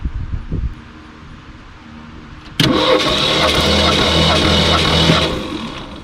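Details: 1966 Ford Ranchero, factory V8: about 2.5 seconds of steady starter cranking with no catch during a compression test, with cylinders reading around 145–150 psi; cranks but doesn't start.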